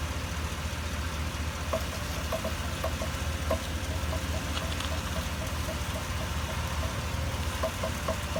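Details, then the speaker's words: 2016 GMC Yukon Denali electronic power steering: light uneven ticking about 150 per minute over quiet idle while steering, with loss of assist; owner suspects the rack and pinion internal drive belt, unconfirmed; power steering rack clicking. "it's got a want to say kind of a click or a knock I guess when you're trying to steer and then you kind of lose steering a little bit there while it's doing it"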